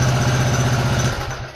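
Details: Restored Honda GL Pro single with new CDI, battery and key switch: engine keeps an even, quick idle beat, then is switched off and cuts out, dying away within about half a second.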